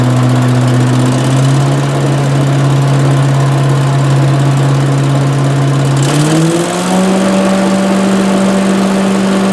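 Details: 18 hp Briggs & Stratton Vanguard twin on a Giant Vac leaf vacuum, stored four years, no-start fixed by carburetor replacement and fresh oil: steady even drone climbing smoothly in pitch when throttled and holding; normal running.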